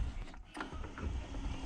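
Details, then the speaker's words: Alutech sectional garage door with Nice opener after fitting 32 mm plastic water pipe over both spring shafts; low even motor rumble, the earlier harsh squeak near two bottom sections open now gone. "Все работает именно вот в этом месте, где оно скрипело. Все работает ровно и четко."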